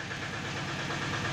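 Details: Tata Ace Zip XL diesel, towed in as a no-start with fault code P0090 (fuel pressure regulator), now started after repair: steady even idle, no misses or knocks, settled and running cleanly.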